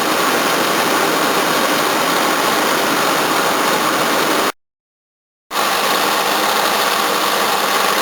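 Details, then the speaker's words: 1981 Toyota Corona RT132R, 18R-C engine, after the tappets were reset with a larger gap: smooth, even, faster idle with no stalling or shaking and a steady water pump whir on top. The chain is still expected to sound unhappy. Normal idle. "Running so much better, a lot faster too. Still all I can hear is water pump. Much nicer."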